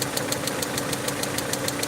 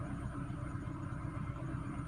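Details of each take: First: Peugeot 307 2.0i at idle after vacuum leak fix: sharp, even ticks about six per second from the top end; owner suspects a broken rocker/valvetrain part inside the head and plans to remove the head. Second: Peugeot 307 2.0i after fixing a vacuum leak, cold start: even, steady idle with a low rumble, RPM no longer surging up and down as before the repair.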